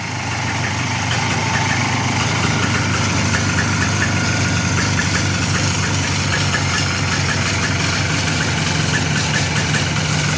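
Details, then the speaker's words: 1995 Polaris Sportsman 4x4 two-stroke ATV, left sitting for years: steady, even idle with a crisp, busy exhaust, no knocks or misses; engine sounds healthy. "Sounds good though. Rest of it seems like it's okay."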